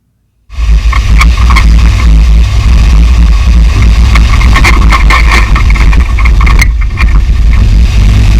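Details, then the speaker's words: 2010 Chevrolet Suburban driven over uneven ground after replacing and tightening sway bar links that caused a front-end jingle: road rumble and a few soft thumps, no metallic jingle or rattle; normal front suspension after repair. "Lot better in my opinion."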